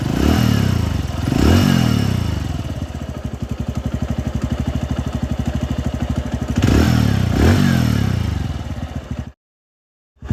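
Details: 2021 TVS Radeon BS6 single-cylinder motorcycle, owner reports an engine sound problem: revs up twice and settles back, with a dry, rattling clatter riding on the idle; internal mechanical noise suspected, cause not stated.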